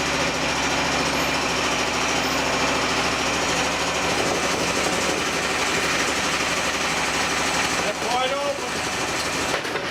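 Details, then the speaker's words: Hydraulic pump used as a motor for a DIY mini excavator mower, first bench run; steady, even whir at constant speed with no surging or knocking and no leaks, running normally; earlier vibration came from a broken pulley. "Looks like we got a winner. Gee, I don't see anything leaking either. This pulley's all broke up, that's why it was vibrating."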